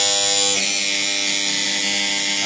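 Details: Siemens LT three-phase power contactor in a high mast lighting panel: harsh steady electrical buzz with a high whine that shifts when pressed; contactor chattering and not pulling in cleanly, at risk of bursting, panel shut off.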